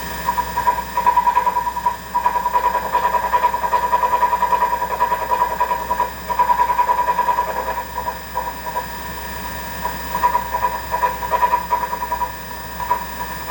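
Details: Treadmill, August 2022: a rough, pulsing rumble over a steady mid-pitched hum, throbbing two to three times a second; the front roller was replaced with a new one without change, so the owner suspects the motor.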